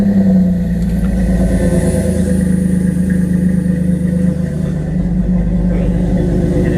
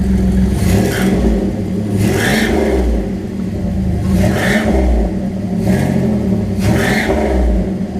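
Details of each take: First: Truck with newly built turbo-style exhaust, downpipe flange bolted up without its gasket: loud, rough idle right after start with a raspy puffing edge over the low rumble; exhaust leaking at the unsealed flange. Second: Boxer engine with newly built turbo-style exhaust (no turbo fitted yet), possible small exhaust leak: idle with low uneven burble, blipped about five times, slight boxer rumble, sounds normal.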